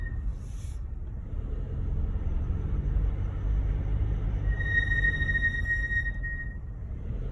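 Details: Mercedes GLC brake squeal while slowing, thin high steady squeal over road rumble, present since purchase; dealer says nothing is wrong.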